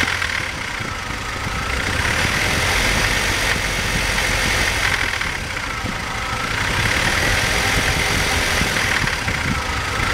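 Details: BMW 318i engine with a rough idle that hunts and swells unevenly every few seconds instead of holding a steady beat.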